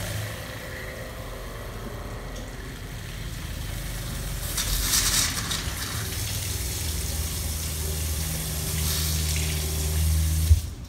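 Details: Shurflo 4008-101-A65 water pump in an Escape travel trailer, after the check valve was cleaned to cure spurty flow: a steady low pump hum under running water with an even note and no surging or sputtering. The flow is smooth and normal.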